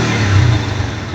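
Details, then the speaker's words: NS150 single-cylinder after an engine overhaul: a short burst of it running strong and picking up cleanly on the throttle without stalling. Before, it died when revved from a bad carburetor tune. Running normally. "Ayan, oh. Ang ganda ng tunog."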